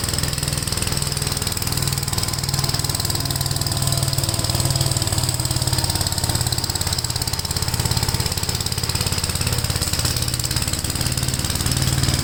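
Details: Gravely tractor with brush hog mulcher deck, PTO engaged after remounting deck and adjusting clutch: small engine steady, even beat with blade whirring, no wobble or clatter; runs really smooth, no vibration. Normal running.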